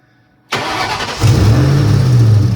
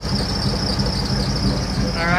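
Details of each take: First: 2003-2004 SVT Cobra with the supercharger belt removed from the lower crank pulley, started to isolate a squeak: steady idle with no belt squeal, so the noise is traced to one of the pulleys. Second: 2003–2004 Ford SVT Cobra supercharged, at idle: constant high-pitched squeal over steady idle rumble from the belt drive; worn Billetflow idler pulley bearing, replaced.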